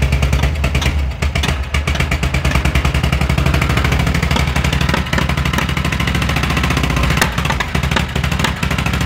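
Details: VW Fusca (Beetle) air-cooled engine, possibly one that sat unused a long time: loud steady running with a fast, regular tapping riding over the beat; the owner asks what the noise is, cause unknown. Abnormal engine noise.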